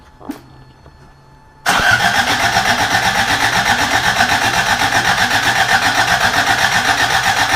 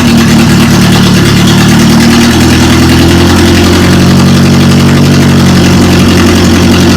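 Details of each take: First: Rebuilt carbureted Toyota Corolla, first start attempt: starter spins engine with even chug about four per second, never catches; no fuel reaching carburetor. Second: Rebuilt Toyota Corolla engine finally running after distributor timing fix and oil temperature sensor leak repair: loud steady idle stepping up to slightly higher speed and holding evenly, runs smoothly; fuel delivery issue noted after sitting half a year.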